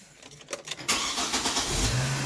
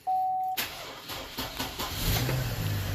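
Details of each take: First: 2007 Chevy Trailblazer 4.2 that had been cranking weakly, suspected weak battery, during an alternator AC ripple test: short, brisk crank under a second, then catches cleanly into a steady idle; healthy cranking and start. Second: 2007 Chevy Trailblazer 4.2 after sitting overnight in a garage at about 40–50°F: after a chime, the starter drags slowly, about two to three sluggish turns a second, before barely catching. A weak battery is suspected, and charging voltage reads high.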